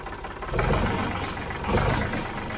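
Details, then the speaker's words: 1965 Ford 3000 diesel tractor, first start after about 10 years sitting, battery terminals cleaned of corrosion; loud, rough clatter with uneven surges as it catches; very noisy running, cause not yet clear. "makes it pop off all right so it's alive it's alive very noisy"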